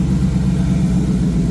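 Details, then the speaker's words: 1986 Ford Mustang GT Fox Body V8, fuel injected, open H-pipe exhaust: a deep, even burble with a steady low rumble, no misses or knocks; all eight cylinders firing, injectors good; normal idle. "But I know all eight cylinders are firing. All the paint is burning off evenly on them. So, the injectors are good."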